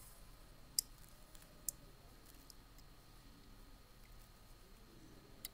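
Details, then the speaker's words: Car relay on the bench, coil fed by battery via terminal 86: a few crisp isolated clicks in a quiet room as contacts close when voltage is applied and open when released; normal relay operation. "so when voltage is applied we have contact Point closing when voltage is released it will open"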